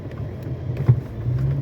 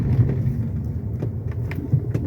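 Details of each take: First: Fiat Argo HGT 1.8 with 115,000 km: single dull front-suspension clunk when driven a little faster over a speed bump; stabilizer bar suspected. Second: Fiat Argo HGT 1.8, 115,000 km, after stabilizer bar fix plus new heat exchanger and coolant: cabin sound over a speed bump at slightly higher speed, low rumble and soft thuds, no knock; normal suspension.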